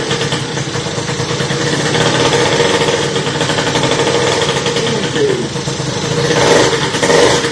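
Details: Motorhispania RX50 Racing (Peugeot XR6) 50cc two-stroke moped, started with the choke after a side-stand replacement, cooling not yet sorted: uneven buzz with speed sagging and surging, running poorly and seeming to need choke to stay running.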